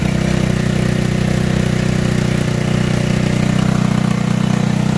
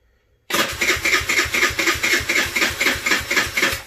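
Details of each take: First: Tao Tao Racer scooter after a battery and valve adjustment, running again after a no-start: a steady, even putter at about four beats a second with no misses or rattles, a clean idle. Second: Tao Tao Racer CVT scooter with slipping transmission that stalls; starter turns about four even chugs a second but never catches, sluggish cranking; owner suspects a weak or dead battery, not confirmed.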